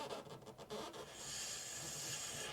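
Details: Combi-boiler central heating, after bleeding radiators: soft steady hiss of water rushing through the filling valve as pressure rises from under 1 bar toward 1.25–1.5 bar; topping up low system pressure.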